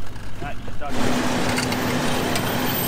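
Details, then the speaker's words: Toyota Land Cruiser 4WD recovering from a soft dry sandy riverbed: steady low screech for a couple of seconds over engine rumble while pulling up a bank, from sand and rocks caught between brake calipers and discs. "screeching sound you can hear is the poor sanded rocks caught in the brake calipers and fouling against the brake discs"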